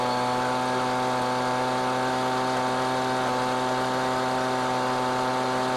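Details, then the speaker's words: Husqvarna 125B leaf blower at wide-open throttle during high-speed mixture adjustment after carb work: a burbly, uneven on-off beat under the drone. Four-stroking from an over-rich mixture, which goes away when leaned out. "so hopefully you noticed and could hear that I was basically going on off on off on off as I went to the left and I riched it you could hear it for stroking"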